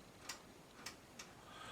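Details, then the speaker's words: Bush VHF 41 radio under restoration: three light, dry clicks about half a second apart over faint hiss after the stuck tuning shafts were moved back. This is the FM tuner mechanism clicking normally, nothing wrong. "worry about that click in that's the FM tuner"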